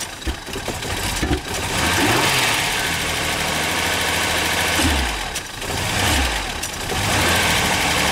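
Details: Ford Sierra V6 cold start with bad fuel injectors: revs rise and dip unevenly with a ragged, unsteady note, consistent with injectors not delivering fuel evenly.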